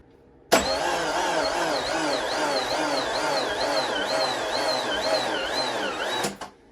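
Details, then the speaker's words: Subaru Liberty B4 twin-turbo engine after head resurfacing and rebuild, first startup before thermostat opens: steady run with light rhythmic wavering whir, no ticking, knocking or valve contact; sounds healthy. "oil like it's not making any noises you'd be scared of like it sounds healthy haven't heard any dinks which would be terrible if the valves were hitting"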